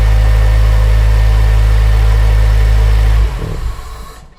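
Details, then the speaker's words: Honda Civic EP3 Type R at idle, belt still on, before removing drive belt to test: constant low droning whir over a steady idle, then winding down; noise from a belt-driven component, worn idler pulley bearing. "I'm going to take the drive belt off and I'm gonna run it briefly and see if the noise goes away before I do that I'm gonna give you a listen to the noise"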